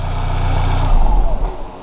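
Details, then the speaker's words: VW GTI, Stage 2, with an aftermarket downpipe: after the downpipe gasket failed and broke in half, it was replaced with a factory gasket. Steady, deep exhaust rumble with no puffing, ticking or lawnmower rasp: a normal, sealed exhaust with no leak. "as you can tell from that short little sound clip right there we are no longer leaking everything"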